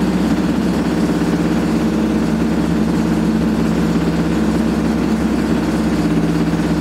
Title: Old Hotpoint AQUARIUS 6kg WMA58 Washing Machine Spinning with very Bad Bearings